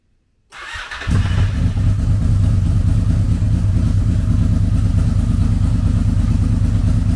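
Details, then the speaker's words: Wrecked 2006 Honda VFR800 auction motorcycle restarted after rod installed to stop oil spitting out; exhaust needs repair; catches quickly into deep, steady, even burble with no knocks or rattles, sounds healthy. "Well, we have a runner, and I hope that brought as much excitement to you guys as it did for me, because I've wanted one of these. It sounds good."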